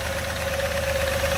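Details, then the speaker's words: 2003 Jeep Liberty V6, hard to start and needing some gas: a rough, stumbling idle with a heavy knock, running on four or five cylinders. The engine is knocking and misfiring at idle and is being replaced with a swap motor. "barely running it's running on four cylinders or five cylinders right now it's a v6 and it is knocking pretty badly"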